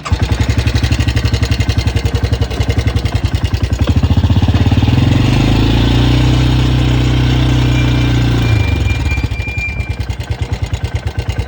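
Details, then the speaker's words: 1986 Yamaha Big Bear 350 ATV after repairs: a single-cylinder thump at idle that blips up smoothly and settles, with an even beat. Normal running with no more grinding or crackling noise, though the carb might need tuning. "the rear break sounds pretty all right but it might need a carb carb tun whatever but uh yeah one's all right there no more grinding crackling noise so uh here you go"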